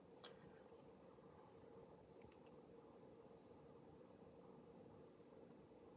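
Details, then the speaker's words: Computer fan running at full speed, spec around 4200 RPM but measured almost 4600 RPM with a DIY tachometer. Quiet, even high-speed whir with a steady mid-pitched hum, no rattle or ticking; normal. "okay okay so now this is a very strong fan and for this one I found somewhere the the speed to be somewhere around 4200 and it's a strong one you can hear it"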